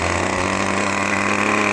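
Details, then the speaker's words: Brand-new OS 40 FP glow engine on a PT-40 RC airplane, held back by an assistant during ground break-in: loud, steady high-pitched buzz at full throttle with a rough, burbling edge; mixture set rich, to be leaned with the needle valve. "we're going to take it up to full throttle now and you'll hear it's kind of rich from the sound"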